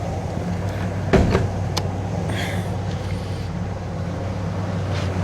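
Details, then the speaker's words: 1979 Cadillac DeVille V8 idling after a carburetor swap and a drive back; deep, steady idle with even low rumble, no longer spitting and sputtering as earlier, brief clunks from nearby handling; running great, normal idle. "All right, she's running great. It's not sitting here and spitting sputting like it was a little while ago."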